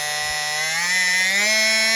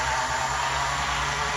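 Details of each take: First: Life-Like HO scale F40PH model locomotive after repair, 14:1 gear ratio truck, test running; smooth even motor whine climbing slightly, holding, winding down, no grinding; normal running. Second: Life-Like HO scale F40PH locomotive with a 14:1 gear truck, running at low speed: steady whirring hum with a thin high whine. Most of the noise comes from the motor's dried-out, worn bearings.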